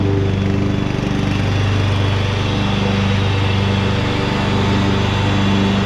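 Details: 2014 Ariens (Husqvarna) 42-inch-cut riding mower, revived from scrapyard parts machine, cutting grass: even, steady drone with low smooth pulse, no knocks or misses; running fine, only needs a couple of small things.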